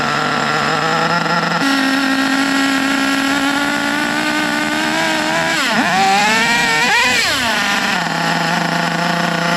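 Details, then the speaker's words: HPI Savage nitro monster truck with badly worn engine (two big scratches on the sleeve), after fixing sticky throttle with new washer and screw so carb closes: high buzzy idle, sharp throttle blips dropping straight back to steady idle; normal. "now everything is it's basically golden carb closes up there is no more sticky throttle let's fire it up again"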